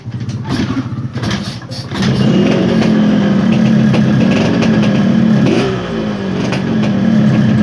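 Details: Yamaha RX-King two-stroke after rewiring the ignition/kill switch circuit: fires up and holds a smooth, even idle with steady buzz, no misses or knocks; normal idle.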